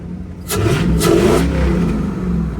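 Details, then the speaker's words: 1986 Ford Bronco 5.0L V8 that bucks and surges under acceleration, revved from idle not under load: rev climbs lazily, dull and without its usual snap or oomph. Fuel pressure 25-28 psi against 35 psi minimum; owner plans to replace the fuel pump. "it's a little little lazy though it's usually like way more Snappy sound like a Quadra jaet coming through there just it don't really it don't have the oomph to it right now"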